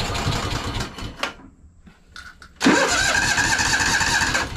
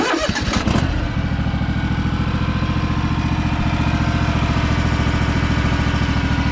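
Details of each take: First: Free Craftsman DLT3000 lawn tractor that wouldn't start: after draining water-contaminated fuel from the carburetor bowl, the starter grinds and the engine stumbles, stops, then catches raggedly while the bowl refills. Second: Craftsman DLT3000 lawn tractor with a factory Honda 16.5 hp single engine, test run after the repair (oil checked, water purged from the fuel): it cranks and catches within a second, then holds a steady, even putter with no misses or knocks.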